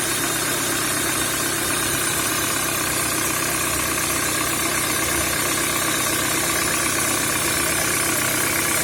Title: Стук в двигателе EW10J4 RFN Пежо 307